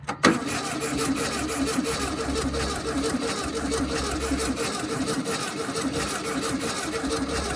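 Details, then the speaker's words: 1968 VW Baja Bug flat-four, barn-stored for decades, with cleaned points: a sharp clunk, then a rough whirring crank with an uneven chug that never fires. There is little vacuum, and lost spark at the points is suspected but not confirmed. "Man, it does not have a lot of vacuum. Whew. Not at all. I think we lost spark. Yeah, that's what it sounds like."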